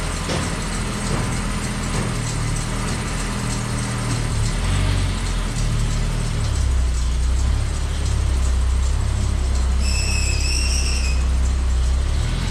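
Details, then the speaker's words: Slammed ice cream truck, first start on a chilly day after sitting outside through a Michigan winter; block found not frozen: deep, even idle settling into steady low rumble, no misses, knocks or rattles; normal idle. "Alright guys, now that we've figured out that somehow we got lucky and the block did not freeze, it's time for a few upgrades."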